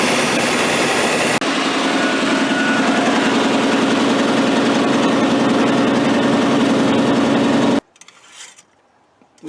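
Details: Square-body 3/4-ton 4WD Suburban, bought at auction and long off the road, after a new ignition module and jiggling its wire: the engine catches and runs steadily with a smooth rhythmic beat, then cuts off cleanly, ignition firing properly.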